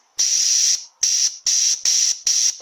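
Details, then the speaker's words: Jeep Cherokee A340/AW4 transmission shift solenoid bench-tested with 70 psi air at about 10.4 V down to 8.8 V: sharp on-off air hiss bursts as the normally closed solenoid opens fully each time; operating well. "You can hear that leak opening when we put power to it. So this solenoid is actually normally closed, and when we put the power to it, it opens. That one's operating quite well."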